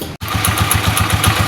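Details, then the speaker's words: Rusi Macho TC150 single-cylinder motorcycle warmed up after its first tune-up: steady, even putter at about six to seven beats a second with no knocks; healthy idle. "So yun na guys, no? Yan yung tunog niya. Sound check tayo ngayong na-tune up na siya, no?"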